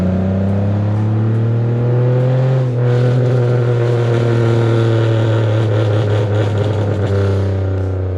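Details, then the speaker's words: Pontiac Bonneville 3800 V6 after a spark plug change for a misfire: deep, even, loud idle that rises cleanly with throttle, with no stumble or misfire; normal revving. "No, it sounds totally fine. nice obnoxious idle, which is exactly what it's supposed to be."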